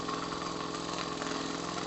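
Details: Miniature 5 cc twin-cylinder steam engine, a Stuart D10 replica without Stephenson valve gear, at full valve opening and about 1 bar; quick, even puffing beat with steady rhythm and no stumbles: runs perfectly, still has torque.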